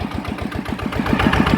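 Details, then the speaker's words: Customer's Chao Phalang single-cylinder diesel with a converted side cover, after replacing several noisy timing gears (two idler gears and the cam gear were kept); steady thump of about seven beats a second with no gear clatter, much quieter than before. "อ่ะนะครับถือว่าเงียบนะครับจะ้ได้นะ"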